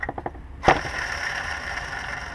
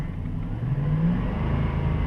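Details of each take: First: 2007 Dodge Durango, engine off, lower serpentine-belt idler pulley spun by hand: rotates freely but gives a gritty rough rumble fading as it slows, while the identical upper pulley is quieter; worn idler bearing, replaced. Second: 2007 Dodge Durango after replacing the serpentine-belt idler pulley, revved from idle: engine rises smoothly with only a low rumble and none of the earlier RPM-rising whine; the worn idler was the source, and the belt drive now sounds clean.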